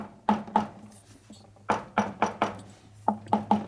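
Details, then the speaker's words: 1949 Harley-Davidson Panhead 74ci FL/FLH engine rebuild, rocker covers just torqued down: tapping the covers gives short, dull knocks that die away without ringing or echo, so the felt gaskets are seated and they should run quiet. "not echoing, so that's a good sign they're going to be quiet."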